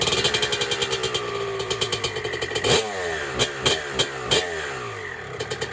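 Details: 1996 Honda CR250 two-stroke dirt bike, first start on day one of a build, 93-octane pump gas, choke off: crisp crackle, clean free-revving blips, loud from a cracked exhaust pipe; runs strong, normal.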